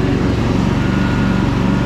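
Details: Craftsman DLT3000 lawn tractor with factory Honda 16.5 hp engine, after fixing no-start and purging water from fuel, on test run: fast, even single-cylinder beat, steady pitch, no misses or knocks; runs healthy and sounds awesome.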